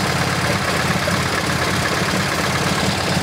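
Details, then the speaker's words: MGB GT with Lumenition optocoupler electronic ignition at idle, strobe on plug leads: lumpy stumbling beat; no flashes on cylinder 2 (and 3), high-tension spark too low; misfire. "if I put this to cylinder number two guess what no flashes whatsoever not good it means the high tension for the spark is too low"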